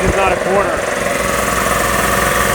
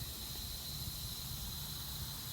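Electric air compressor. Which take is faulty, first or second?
second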